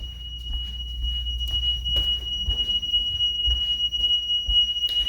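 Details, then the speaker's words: DSC home alarm entry delay on return home: a steady high-pitched electronic tone counts down over footsteps and door noise. This system allows 45 seconds to enter the code or use the key fob before disarm. "with our system it's 45 seconds on every system that may be different but you're going to have time to enter your code or your key fob into something i'll show you now so let's say we're returning home right you can hear it counting down"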